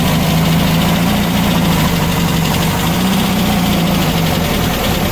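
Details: Freshly built VW Baja Bug flat-four on the stand, break-in oil with zinc additive, Super Dome distributor: even steady idle with smooth low drone, no knocks or misses; healthy.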